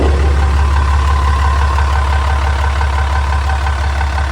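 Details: 6.7 Cummins diesel in a Ram with over 680,000 miles, idling right after an oil change with 3 gallons of oil while checking for leaks: deep, even rumble with a steady beat and no knocks or ticks, normal idle.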